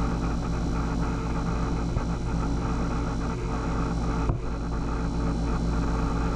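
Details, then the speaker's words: Taco pump in a fully purged snowmelt loop hums with a steady low drone, no rattle or grinding; suspected vibration transfer because the mount is screwed directly to the wall studs; rubber isolation pads considered. Cause suspected, not confirmed. "the hum here the low low drone i think is because i i screwed it right to the studs so you know i'm sure it's transferring some vibration to the frame"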